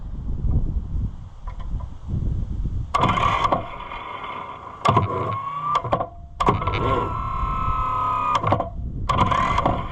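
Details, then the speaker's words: Neglected Oliver 1365 diesel tractor cranked on a jump pack in heavy wind: starter turns it in short uneven bursts with a whirring drone, not starting; abnormal cranking, owner suspects a problem under the valve cover, unconfirmed. "Okay. Well, this is interesting because the sound that I'm getting is in fact like there is sadness under the valve cover which we did not conclusively see."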